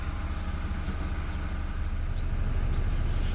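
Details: Toyota Hilux Revo diesel pickup idling smoothly after repair, steady low rumble with no whine, squeal or knock; a cracked alternator pulley bearing that had caused a belt-area noise was replaced, charging now 13.7-13.8 V.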